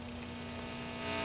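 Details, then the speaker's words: Philco Champ 84-5F1 amplifier, drawing around 5 W: steady low buzzy hum under everything, suspected 60-cycle mains hum; owner considers adding 100-ohm resistors from filament line to ground, not yet confirmed. "I think it's a 60 cycle hum that I'm hearing"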